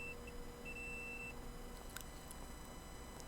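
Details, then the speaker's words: Dead Toshiba 1TB laptop hard drive, not seen in BIOS: a multimeter in continuity mode beeps steadily across the PCB power input points, confirming a short on the board. "It will beep if there is a short, so we should be able to detect that. Yep, you can hear it. Yeah, so there is a short. Definitely there is a short."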